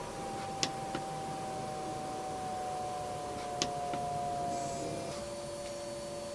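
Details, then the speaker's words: Newly installed diesel heater in a camper ambulance, first startup; steady mid-pitched fan whine sagging slightly with a few sharp clicks as glow plug fires and fuel pump runs; normal startup. "Glow plug is firing. Oh, I gotta figure this out. This is way different. Fuel pump."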